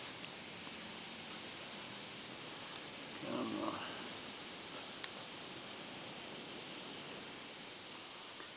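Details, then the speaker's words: 2005 Bryant heat pump that stopped cooling, oil stain in the drain pan: steady high-pitched hiss of refrigerant escaping from a pinhole rubbed into the 3/8 pipe by a small tube, before repair. "and I could hear which maybe you can hear it too the hissing so I was feeling around and uh I found it"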